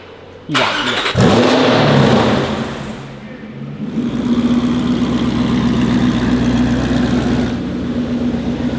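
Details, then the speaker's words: Cold start after a fault code went away: engine cranks, catches, revs briefly, then rises into a steady fast cold-start idle, which it had not done for about a year; the engine is relearning. "Did you hear the way that it idled up cold, and it hasn't done that for probably a year? It tried to get its, cold start idle."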